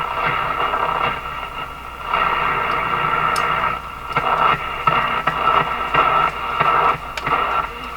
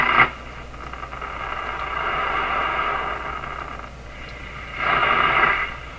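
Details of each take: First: Canadian Philco 409 (46-350) portable radio, restored and refitted in its cabinet, final alignment: a French station comes through clearly in the shop office above a light hiss, steady with no crackle or fading. Normal reception. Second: Canadian Philco 409 (46-350) portable tube radio, restored and in its cabinet, first power-up before final alignment: thin, hissy, distorted station audio drifting in and out of noise. A large alignment problem is suspected, and the dial pointer may be off.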